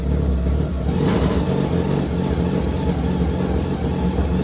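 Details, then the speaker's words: Mazda RX323 rotary, running rough since bought: idles really low, and throttle blips rise unevenly and stumble instead of sweeping cleanly; cause not yet found, distributor igniters suspected of overheating. "So, as you can tell, it's idling really low, but even when you try and lift it,"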